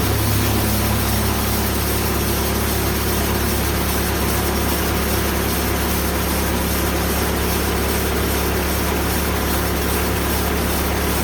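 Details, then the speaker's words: Old band saw blade that previously hit a nail, cutting huge American beech slabs with slow drip: harsh, strained roar holds steady under heavy load; sounded horrible, blade seemingly close to blowing, though cut quality looked amazing. "well i'm not gonna lie that sounded horrible i was just cringing thinking that that monster was gonna blow any second you can definitely tell that this blade has hit something before"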